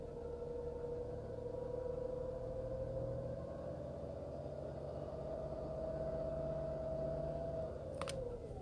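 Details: Skoda Fabia 1.2 HTP 60 PS, warm engine held at about 1300 rpm: whirring, grinding tone creeping slightly higher before dropping off, heard only when warm, not when cold; source undetermined.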